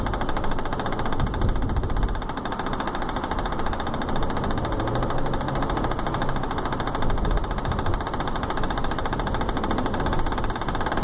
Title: 2015 BMW X5 Clicking Noise From Sun Roof